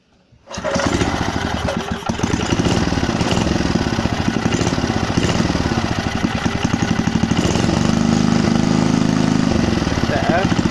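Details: Briggs and Stratton 3 HP petrol engine on a Landmaster rotavator, first start after rebuild with another crank fitted: fires at once and holds a quick, steady single-cylinder beat; running properly.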